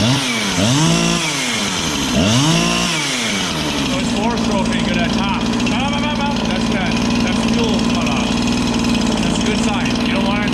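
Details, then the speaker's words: Husqvarna 365 chainsaw with a new piston and cylinder: blips twice, then holds a high scream at full throttle with no load and a rough burbling break-up. Normal rich four-stroking, not lean. "so what I mean about four stroking is when you're revving it at full Full Throttle there no load it should here that's that's it hitting fuel in the top end it's got a lot of fuel which is good"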